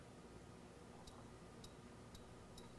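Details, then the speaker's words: Early Bosch mechanical fuel injector on a bench pressure tester at about 240–250 psi: four short crisp high chirps over quiet hiss, opening cleanly, tip not dripping, holding pressure; normal injector chirp. "Can you hear that? It's just doing a very light chirp."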